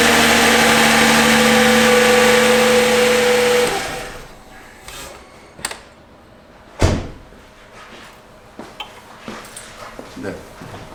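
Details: Hyundai Genesis 3.3 V6 cold start: loud busy engine clatter with a steady whine right after starting, then it falls quiet; timing chain noise on initial start, chain and consumables to be replaced.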